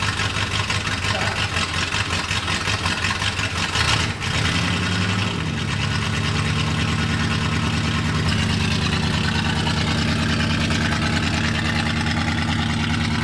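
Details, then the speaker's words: 1965 Buick LeSabre V8, sat 34 years, muffler removed: a loud, raw, blatting idle with a deep rumble and no muffling, seeming to run better than before. Open exhaust with the muffler removed. "it's like a derby car sounds like one foreign [Music] [Applause] it's a little too loud what do you think I don't know it seems like it runs better don't it"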